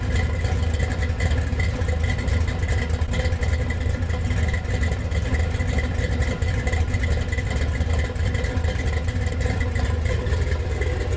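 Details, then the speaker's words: Gen VI L29 454 big-block V8 on an engine stand, factory ZZ502 hydraulic roller cam on 110 LSA: deep loping idle, uneven lumpy beat, steady rumble, no knocks or ticks; healthy motor with modest cam. "It's a very like healthy sounding motor. It's a nice cam, and for a GM cam, it's cut on a 110, so you get a pretty decent lope to it."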